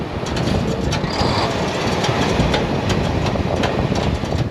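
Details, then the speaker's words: Semi truck hauling auto parts freight on the highway, a couple miles from delivery: harsh scraping with sharp metallic tings over road rumble as a piece of metal underneath drags and hits the pavement. "like a piece of metal underneath my truck scraping or hitting the ground every time when I was driving."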